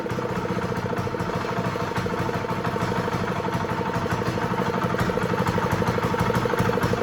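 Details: Honda GX120 small single on a roofing shingle loader, running after reassembly with the kill switch disconnected: a steady, even putter with a crisp, regular firing rhythm and no misses or knocks. Normal running.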